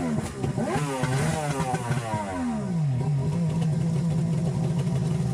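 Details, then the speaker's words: 2003 Yamaha GP1300R two-stroke jet ski with Riva Racing free flow exhaust, water supply off, revved a couple times to blow out water: blips up and back, then steady crackly idle; normal rev-out. "When running your ski on the water hose, always be sure to turn the water supply off first, then rev the engine a couple times to blow it out, and then shut the engine"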